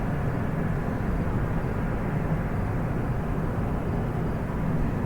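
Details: Constant deep rumbling roar with no rhythm or pitch change, recorded on a street near 9 pm in São José dos Campos, attributed to the Petrobras Revap refinery, source not confirmed.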